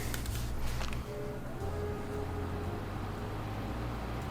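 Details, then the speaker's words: Wife's new pink Segotep-case PC after a failed BIOS update: steady loud fan rush at full speed over a low unchanging hum, no beeps, no boot; the flash killed the motherboard, awaiting replacement. "It's making some loud fan noises."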